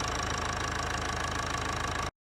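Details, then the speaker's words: 2015 Mercedes W212 E250 Bluetec 4matic diesel, 130,000 km, after a fuel filter change and priming: started on the first crank, then even diesel clatter at steady idle with smooth firing and no misses or knocks; normal idle. "And voila, we got a startup. First crank started up really nice and quick, so that was"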